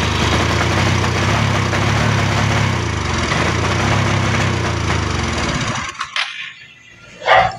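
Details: Motorcycle single that is hard to start: rough, uneven idle with irregular stumbles and skipped beats before dying; a misfire from a carbon-fouled spark plug.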